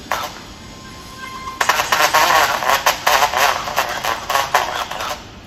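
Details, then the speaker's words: MacBook Pro A1425 blown speaker before replacement: thin, harsh playback with no bass breaking into crackly distorted bursts, speech unintelligible. "Gördüğünüz gibi hoparlörden cızırtılı ses geliyor. Hiçbir şey anlaşılmıyor."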